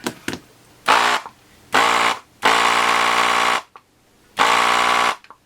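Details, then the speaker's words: Gaojie S-998P 220 V 100 W desoldering gun vacuum pump while desoldering header pins: short buzzing bursts with a harsh, strained tone; owner feels it sounds like it is labouring, slowing slightly as solder comes through the nozzle. "No, this sounds like it's labouring really. Don't know. If I slide this down, definitely does slow down when you've got it coming through the nozzle. But not by much."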